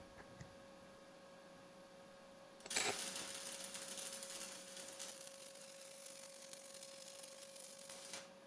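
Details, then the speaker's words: YesWelder YWM 211P stick welding at 75 A indicated on scrap plate, a small bead for comparison with a $35 Amazon welder. The arc strikes and settles into an even, steady frying hiss with no popping or sputter; a smooth, healthy arc. "So right here, that first bead that I did, smooth, simple, right to the point."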